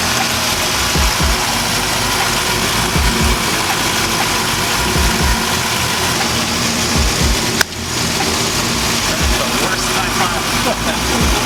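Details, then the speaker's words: 6.0L V8 Trans Am just back running after ignition coil, plug wire and O2 sensor work, not yet warmed up: steady, even V8 idle with a smooth low burble and no knocks or misses over background noise; healthy idle. "Folks, TA is back alive. It sounds great, healthy. We're gonna let the engine warm up, make sure there's no leaks, no other issues, and then maybe drive, maybe some sound clips, I don't know."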